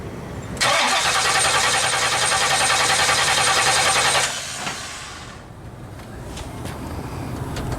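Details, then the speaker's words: 1970 Pontiac LeMans 455 after a failed mechanical fuel pump diaphragm leaking fuel, electric pump on, pedal floored: long hissing crank about three and a half turns a second, never catches; fuel not reaching it, possibly flooded. "okay well good news is we're not hemorrhaging fuel anywhere so that's good now the question is why won't it start did you just flood it"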